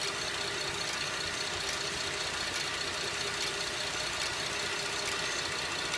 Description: 2011 Buick LaCrosse cxl is making a slow ticking/clicking noise. The noise seems to be slower than the engine but will speed up on accelerating. I have listened to it with a stethoscope and it has a metal sound.